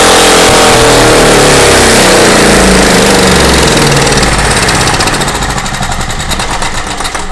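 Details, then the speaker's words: Craftsman portable generator, long unused and possibly tinkered with: loud, high-pitched racing far above normal speed that then sags; over-revving from misadjusted governor. "I got to be ready to kill it, because when something's over revving like this, I mean, as soon as you notice it's over revving, you need to kill it. You don't want it to, throw a rod."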